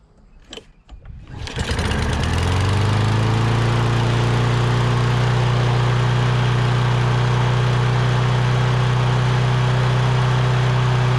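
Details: Lawn-Boy big-wheel push mower, Kohler 6.5 hp engine, test run after carburetor replacement (previously only ran on starting fluid): pulls over, catches, settles into steady even single-cylinder beat without misses or surging; normal running.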